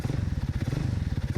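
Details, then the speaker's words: Alpha moped (childhood bike, under 8-month restoration), small two-stroke idling: quick, even low putter with crisp regular beats and no misses; crisp throttle response, no stalling at idle, owner tentatively credits the carburetor; normal idle. "how clearly it responds to the gas. I mean, it's absolutely amazing. It seems you were right about it being the carburetor, because it doesn't stall at idle. Now the engine sounds just wonderful, quiet."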